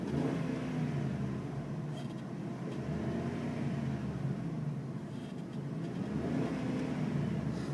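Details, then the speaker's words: 2005 Dodge Ram Quad Cab SLT with a Hemi V8, on a hot day, throttle blipped: deep, smooth V8 rumble rising and falling with each blip, even and quiet with no knocks; runs really well. "There you go. That's a Hemi, and it's real quiet. Runs really, really well."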